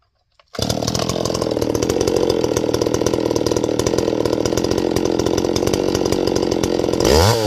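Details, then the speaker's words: Stihl 024 AV Wood Boss chainsaw, high-speed jet leaned out then richened slightly until it four-strokes on top: snaps to full throttle, high scream with slight burbling break-up on top; high-speed mixture set slightly rich. "I'm not going to leave it screaming up there. I'm just going to adjust it up to there and then back just a tiny bit till it gurgles just a little bit on the top, okay?"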